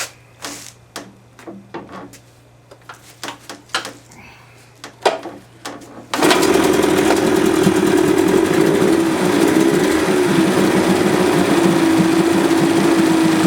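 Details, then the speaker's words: 1978 Johnson 25 hp short-shaft two-stroke outboard after carburetor cleaning to fix a no-start: a few pull-cord tugs and clicks, then it catches and holds a steady, even buzz. Runs properly. "Okay, so that 25 short shaft 1978 is running good."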